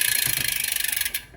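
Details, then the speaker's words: Shimano Ultegra road drivetrain on the smaller chainring, rear gears 11 to 9: fast, even ratcheting tick of the chain with no rubbing, clearance to the front derailleur so it runs silently; normal chain running without cross-chaining rub. "There is a clearance between the chain and the derailleur, and the chain runs silently."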